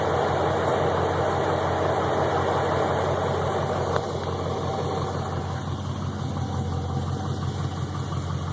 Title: TBSS piston slap